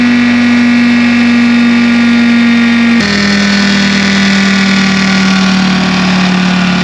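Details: 1960 John Deere 440 backhoe, supercharged 2-53 Detroit two-stroke diesel freed after years seized: even steady run, strong blower whine settling slightly lower after seconds, no knocks or misses; good oil pressure, normal running.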